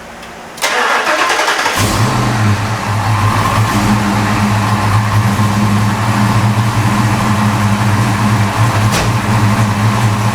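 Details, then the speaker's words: Fox Body V8 with new valve seals, started before warming up, after swapping a leaking X-pipe for an H-pipe; cranks, fires and settles into a steady deep idle with no header exhaust leak ticking or puffing. "No header leak. Nice."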